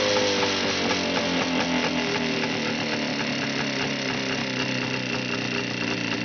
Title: Что за стук в моторе?